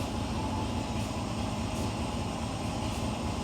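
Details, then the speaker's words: Ford 429 V8 with carburetor idling while carb cleaner is sprayed around the carb base: even, deep idle holds steady with no rpm drop; no vacuum leak. "nothing there let's check the other side there's nothing there that's a quick easy way to check using carbon choke cleaner"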